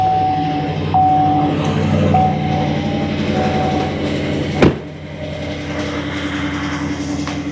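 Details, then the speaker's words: 2015 Chevy Silverado 2500HD, under 200 miles after an oil change, morning start: light metallic rattle over idle that settles smoother; knock worse under load and stopping in reverse, traced to starter drive dragging on flywheel. "So, first of all, let's get this thing started, and it was making the rattle pretty good this morning."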